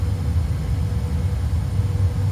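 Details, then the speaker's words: Furnace after the failed blower fan motor was replaced: heat called at the thermostat, the fan comes on after the flame sequence with a steady, even low hum and no knocking, rattle or wobble, fix complete. "And then in about 30 seconds, the fan should turn on. The fan just turned on, so the fix is complete."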